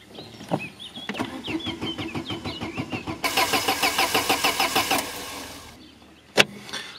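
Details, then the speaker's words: Peugeot 605 that had not been running, cranked on the starter with the engine disabled so it won't start. Even, steady beats at about three per second with no weak strokes suggest balanced compression across the cylinders. "Pendant que le moteur tourne, c'est très régulier, ce qui est bon signe, ça indiquerait qu'on a des compressions plutôt équilibrées."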